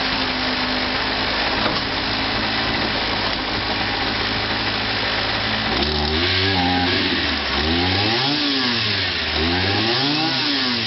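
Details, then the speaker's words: Kawasaki KBH43A strimmer, parked up and would only run on choke; an old fuel filter has been fitted temporarily. A small two-stroke screams, then the revs hunt in slow waves as if starving for fuel. Fuel filter suspected; a petrol cap problem was also noticed. "So I put a plug in it and I put it to run, and it would only run on choke."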